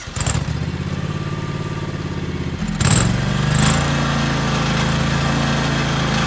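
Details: 2003 John Deere X485 garden tractor, 671 hours, 25 hp liquid-cooled Kawasaki EFI engine, recently serviced: a thump, then a steady, even low drone with no knocks or misses; starts right up and runs as it should.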